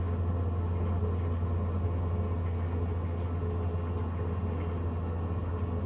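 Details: Navien NCB-240 boiler: steady, loud low drone with an even hum and no rhythm or speed change from the combustion fan; loud combustion fan noise, cause not stated.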